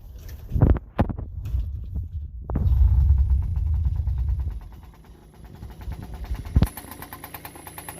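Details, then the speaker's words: Yamaha PW50 small two-stroke, sat 5 years, cold first start on choke after fuel poured down the spark plug hole: a few kicks, then it catches and pops along unevenly; it starts easily and runs quietly, then choke off and revved to clean it out. "putting a bit of fuel down the top of the SP plug helps to start it sounds pretty quiet put the chake off and give it a red so let clean it out"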